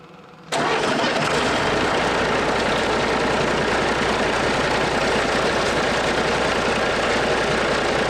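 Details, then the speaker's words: DT466 NGD diesel in a Fargo LCF truck being rebuilt, fire-up after rebuild: quiet, then catches and settles into a steady, even diesel clatter at idle with no knocking; normal start and idle. "That sounds good. No knocking."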